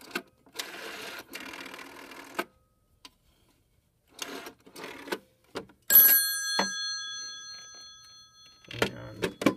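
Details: Extension phone on a PBX system called from another phone during a switchhook-flash demo: after handset clicks, a bright bell ring rings out and slowly fades; ringing normally.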